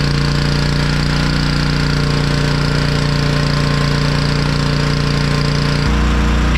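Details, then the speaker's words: Honda EG1900x petrol generator with Honda GX140 engine, stored over 10 years, after fuel tank clean, ultrasonic carb clean and oil change: strong, even low drone with steady firing, no misses or hunting; running about 52 Hz unloaded, 50.2 Hz loaded. "engine's running very nice I've tuned into 50 HZ I run it about 52 on l loaded once loaded it went down about 50.2 Herz which is pretty much where you want it"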